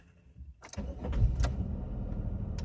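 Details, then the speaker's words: 2000 Chevy Impala 3400, hard-start issue (owner suspects MAF): key cycled to prime fuel pump three times, then short crank and engine catches within a second, settling to a steady idle without throttle. "so I shut it off there take the key out back in prime it once twice three"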